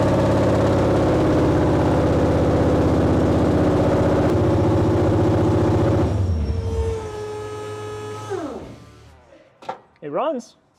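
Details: 800hp Coyote V8 in a 1931 Ford Model A, started on a cold 55°F shop day, run for a few seconds with no coolant in the engine or intercooler: fast, even burble for about six seconds, then winds down smoothly; normal running.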